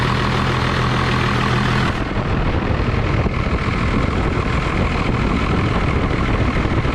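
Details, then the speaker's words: 1989 Dodge Ram D250, 12-valve Cummins turbo diesel with VE pump, after water pump, thermostat and alternator replacement, warming toward operating temperature: steady, even diesel clatter at idle with no knocks, misses or hunting; normal idle. "getting it all the way up to normal operating temperature and everything seemed to do great no leaks"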